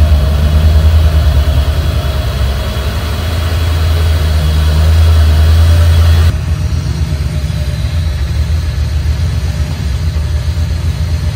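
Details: 1987 Camaro Z28 V8 revived after nearly 30 years parked, running with alternator belt removed and only water pump driven, timing only rough set: steady even low V8 idle rumble, no knocks, ticks or misses; good oil pressure, healthy idle.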